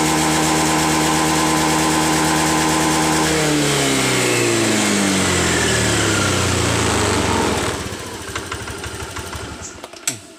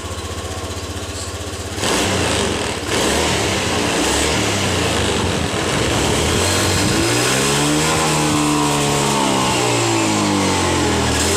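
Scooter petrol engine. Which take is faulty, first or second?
second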